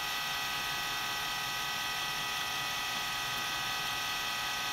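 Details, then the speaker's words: FSP power supply fan in a client PC at startup: constant high-pitched rough whir with a gritty, buzzy edge and no steady beat; failing power supply fan. "I'm gonna try not to run this one for too long in still starting up as when I was 10 yeah that sounds pretty bad any day now"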